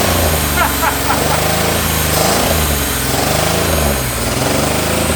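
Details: Long-abandoned 1980s Pontiac Fiero lowrider, after correcting timing and plug wires, 80 psi oil pressure, no smoke: uneven, lumpy idle with an irregular stumble over a loud steady drone, like a cylinder misfiring; rough running, cause not yet found.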